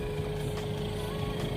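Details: Ford Ranger 2.2 diesel idling after turbo replacement and new intercooler, road-tested about 20 km, no leaks: steady smooth idle, even low drone, no turbo whistle or rattle; earlier heavy white smoke gone, power light off.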